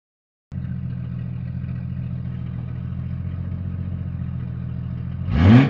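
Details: Jeep Cherokee XJ 4.0 High Output: steady low idle with a faint rattle underneath that swells as revs rise; noise traced to the torque converter, not the engine.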